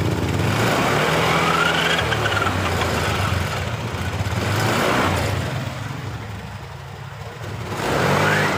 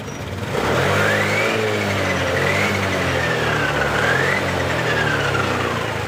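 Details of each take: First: Honda Beat LED Deluxe scooter with code 7: engine starts but stumbles and pops unevenly when throttle is first opened, sometimes normal; faulty engine oil temperature (EOT) sensor circuit or loose socket upsetting fuelling. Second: Honda Beat LED Deluxe scooter, earlier cutting out with code 7, revs up and down cleanly without stumble after DTC cleared; loose EOT oil temperature sensor socket suspected, to be cleaned and tightened.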